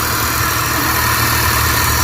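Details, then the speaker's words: Suzuki DA64/DA63/DA17 turbo engine, first start after wiring repair from blown fuse and no ECM communication: steady fast idle with even hum and airy hiss; idles high because the turbo intake hose is still disconnected. "Mataas yung menor niya kasi turbo type to naka-open hindi natin pero okay na yan."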